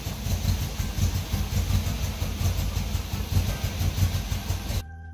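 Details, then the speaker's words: 1974.5 MG MGB after installing a cheap 4 psi inline fuel pump, no pressure regulator yet: low throbbing idle that surges and sags then cuts out, running out of gas; fuel starvation stumble. "i think she might be starting to choke starting to choke running out of gas"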